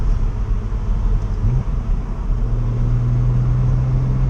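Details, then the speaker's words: BMW E90 328i with a 335i GS6-53BZ manual and a swapped welded 3.73 diff, driving: low road rumble with a steady hum and metallic rotating sound that follows road speed; loud driveshaft and drivetrain whine suspected, not confirmed. "so right off the bat my drive shaft is pretty loud um I can hear the"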